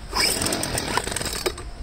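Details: Poulan handheld blower two-stroke after fuel line replacement, at half throttle warming up; uneven sputtering buzz that surges and stumbles; owner suspects air in fuel lines or a carburetor fault.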